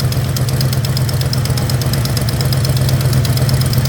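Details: 1976 Plymouth Gran Fury station wagon, tick developed on a long trip, after valve cover gasket change: steady idle with sharp quick ticking in time with the engine; suspected exhaust manifold leak, oily possibly loose exhaust bolt found. Not confirmed.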